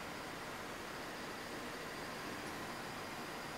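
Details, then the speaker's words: Old desktop computer booting just after fitting a new silent power supply; steady even airy hiss from the spinning hard disk and some CPU fan noise, main power supply inaudible, normal CPU fan and hard disk noise. "Fair bit of noise there from the physical spinning disc, which is to be expected. I can hear a bit of noise from the CPU fan."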